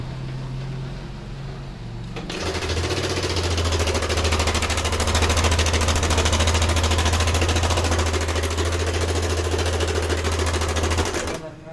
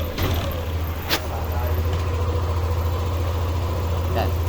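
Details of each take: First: Yamaha NMAX V2 scooter engine revving with a loud, rapid sewing-machine-like clatter from a slack timing chain; the tensioner spring came loose so it no longer pushes, and the tensioner is to be replaced to test. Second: Yamaha NMAX V2 scooter started after replacing the timing chain tensioner, whose spring had failed and no longer pushed the chain: smooth, even low idle hum, now quiet with no chain rattle.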